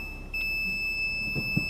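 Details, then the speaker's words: 2020 Dacia Duster with a newly fitted rear parking sensor, in reverse: a steady, unbroken high-pitched warning tone as it detects a pole at the shop corner; working normally. "arka taraftan dükkanın hemen köşedeki direkten algılama yapıyor ve ötüyor"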